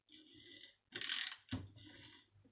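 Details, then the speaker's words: Failed Miele S5211 vacuum cleaner motor, removed and turned by hand with a socket: rough scraping grinding with each turn and it gets warm; something inside has broken up and is rubbing, not yet confirmed. "I was turning that grinding sound eating it it's not very nice"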